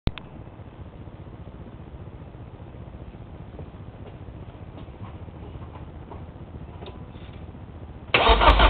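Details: Nissan S14 cranking no-start: steady starter churn with only faint sporadic splatting pops when the engine fires, no catch; all four plugs wet with fuel and carbon after 30 seconds of cranking; battery charged, spark, fuel, crank sensors, plug wires, cap and rotor checked.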